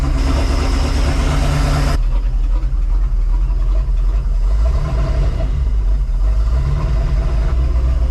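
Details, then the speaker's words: Sea Ray boat V8 after 17 years of storage: heavy low rumble drops after two seconds, then runs steadily with slight swells. It runs despite poor compression in cylinders five and six, which had soaked overnight in ATF, with gas poured into the intake. "sounds like it runs despite the horrible compression numbers we were getting in cylinders number five and six"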